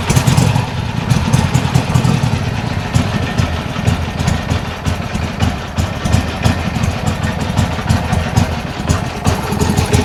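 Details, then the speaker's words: Old Harley Sportster Ironhead, running for the first time after carb fiddling, throttle cable loose: loud, lumpy, uneven-firing thump holding steady with no knocks or misses over the exhaust; runs fine. "Man, sounds good, sounds good. Yeah. Hey! Yeah. That's fantastic."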